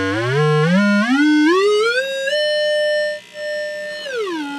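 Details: Scott tube amplifier during repair, test signal applied: pure tone sweeps up to about 9 kHz and holds steady with no hum, crackle or distortion. Amp passing signal cleanly.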